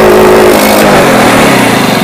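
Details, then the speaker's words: Yamaha Jupiter Z motorcycle, air filter box and rubber removed, revved hard: engine stutters and breaks up instead of climbing cleanly, backfiring exhaust, misfire from mid to high rpm like air starvation or choke closed. "Nah, jika seperti ini ya, gejalanya sih seperti yang kekurangan angin, seolah-olah ini dicuk atau ditutup."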